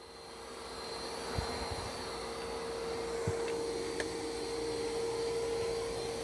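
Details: New iRobot Roomba Plus 515 vacuum-mop combo cleaning a floor with kitty litter, first doing the room perimeter: constant mid-pitched motor whine, soft brush whir, a few light bumps; normal cleaning pass.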